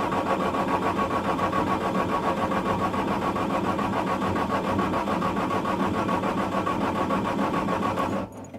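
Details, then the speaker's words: Bobcat S175 diesel skid steer at about 35°F on a jump box, with cab power fault: steady cranking about three to four compressions a second, never fires; smoking shows the fuel shutoff solenoid is clicking on, glow plugs being cycled. "that is smoking which tells me that the fuel shut off Cy it is clicking on or it wouldn't be smoking like that"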